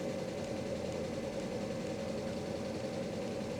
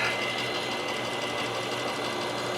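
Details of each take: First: 1997 Mercedes S500 coupe (W140) with a head gasket fix, just started, parking brake on: steady, even engine hum with no misses, but idling a little high; owner expects it to come down shortly. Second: 1997 Mercedes S500 coupe V8 after a head gasket fix: a steady, even idle, much happier, with a light buzzing rattle from the side mirror that buzzes whenever the car is on.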